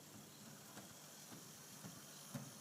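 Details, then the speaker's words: Proto 2000 diesel model locomotive running on track, soft regular thump about twice a second over faint motor whir, not track joints but a split gear on a driving axle; recorded on iPad microphone. "that's not track joints that is the sound of a split gear unfortunately"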